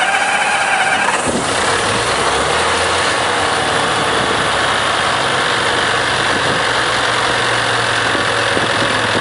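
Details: Heuliez GX417 CNG (GNV) bus of STAN: starter whirs, engine catches about one second in, then rough unsettled idle; difficult start.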